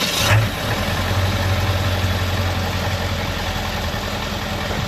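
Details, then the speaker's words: 1997 Ford F-250 7.3L turbo diesel on first start after an engine flush and oil change, fitted with a blue International 466 cam position sensor advancing timing 1 degree. Even, steady idle with a low rumble and none of its usual slight lope; normal idle. "So with that said, usually at an idle, this truck kind of somewhat has a little lope to it, and right now I don't feel any loping whatsoever."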